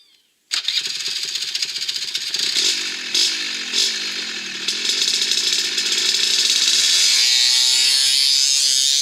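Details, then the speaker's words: Upgraded Suzuki LT80 with the clutch retuned using rollers set at 35 to engage at higher rpm, in a hole shot test. The engine catches and revs, its crackly exhaust climbing smoothly with no slip or stumble; clean engagement that spun the tires. "well I think that's what we want that should work perfect I think it was about at the radar p.m. and it spun the tires fairly good I think we're gonna call that success right there"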